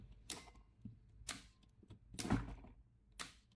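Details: AC contactor with a 220 V coil, energized directly to test it: four crisp single clicks about a second apart, clean snaps with no hum or chatter; contactor pulls in properly.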